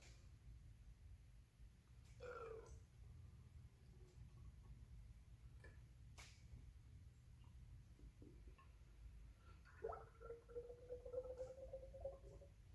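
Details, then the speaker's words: 2006 Honda Big Ruckus front fork rebuild, refilled with fork oil: faint wet gurgles and a short rising squelch as the fork is pumped slowly, air bubbles working out of the damper rod during bleeding. "Now you want to move this up and down slow a couple of times. Fill up that dampening rod. Hear that noise? That's getting all the air bubbles out."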